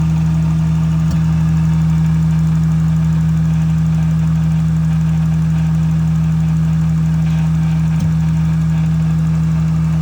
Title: Is this a misfire. Listen closely , it’s a noise that comes and goes,